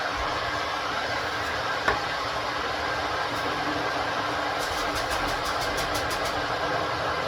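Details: Ninja electric kettle on first use: even hissing rumble with faint crackles, no buzzing or clicking, growing as the water heats; normal heating noise.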